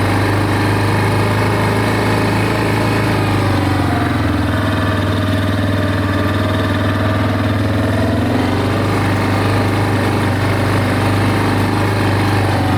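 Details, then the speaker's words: Big Bear 400 ATV single-cylinder, started on choke, after replacing the OEM muffler whose broken baffle rattled with an aftermarket muffler: low, even, quiet thump with no knocks or rattles; normal idle. "Oh my gosh, this thing's so quiet."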